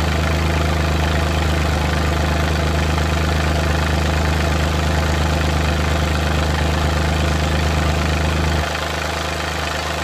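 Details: Suzuki Multicab F6A engine at slightly raised revs running rough and uneven, irregular stumbles and shakes breaking the beat: random misfire.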